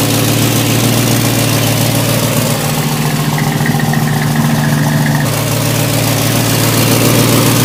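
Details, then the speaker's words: Ford F100 XLT with 351 Cleveland V8, first start after rescue, idling on gas: steady idle with regular ticking puff around 210 a minute from a bad exhaust leak underneath; owner suspects another leak on this side. "That's on gas too. It's got a horrid exhaust leak down there. Rotten exhaust leak."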